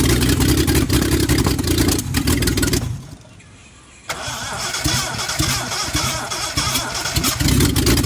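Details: Reliant Scimitar GTE first start after about 25 years off the road, previously seized pistons, ignition timing reset, wrong carburettor, weak compression: starter whirrs, engine catches and settles into a steady, slightly rough idle with a few blips; it runs.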